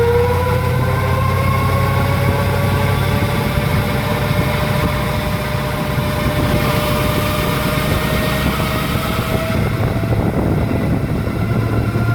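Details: 2001 Chevrolet Silverado with a failing automatic transmission. A loud, steady whining drone climbs slowly as the truck pulls.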